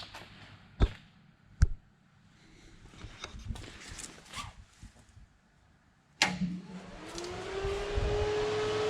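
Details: Mazda project car during electrics testing: the 11-inch electric cooling fan, which had blown a 10 A fuse and is now on a 30 A fuse, gives a few light clicks, then kicks in with a smooth whirr that climbs and settles steady; it works.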